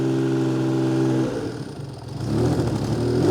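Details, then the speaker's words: Cold 1979 Honda CBX 1000 six-cylinder, 15,000 miles, Delkevic 6-into-1 exhaust; smooth steady hum on choke, then ragged, uneven and fluffy once off choke: rough running when cold. "So, we need to keep it on the choke for a bit. This is off the choke and you can hear a bit fluffy. That's on the choke."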